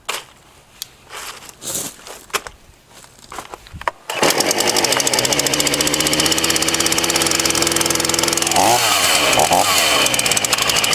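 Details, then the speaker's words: Titan TTL759CHN chainsaw, heavily used (about five to six tons of timber over winter), hard to start hot or after refuelling; screams at full revs then pitch sags and wavers twice, bogging at high revs, worsening; carburetor suspected, not confirmed. "i'm going to talk about the carburetor later because this was pretty much the bunch of saws that would bog down on high revs and in the video you may see this it's progressively got worse"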